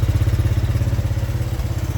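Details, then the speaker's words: 1983 Honda 200E three-wheeler just after fitting a new carburetor: steady, even quick low thumping at idle with no stumble or misses; single running smoothly, though it still smokes. "Oh, listen to that. That thing is purring like a kitten. It's amazing what a new carburetor will do."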